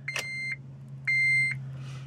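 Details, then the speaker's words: Honda Element, key on: steady two-tone chime about once a second, dash lights up, no starter whir or click; no-crank, owner suspected starter or neutral safety switch. "the uh element I got in to move it and I turn the key and it won't even crank everything lights up looks like it's going to do it and then nothing happens"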